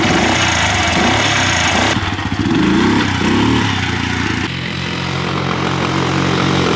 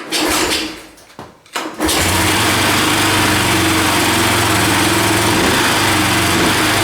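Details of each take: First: 1985 Yamaha three-wheeler ATV, barn find that sat about seven years after kerosene was put in the tank; after top-end rebuild with new exhaust valves, pull-started with no battery: loud, choppy single-cylinder beat, a couple of rev changes, then a steady run, running normally. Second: 1985 Yamaha three-wheeler barn find, sat about seven years with kerosene in the tank, engine unseized and new carburetor fitted: cranks, catches, runs with an uneven hunting beat around four a second; owner reports idling issues with the carburetor.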